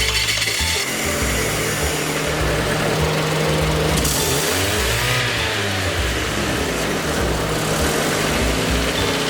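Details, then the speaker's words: Under the car at the cracked flex pipe: loud raspy exhaust note with a rev blip as gases escape; the crack causes a rotten egg smell and loss of power, after a front exhaust leak was already fixed. "so as you guys can see that sounds pretty horrendous especially when you're driving"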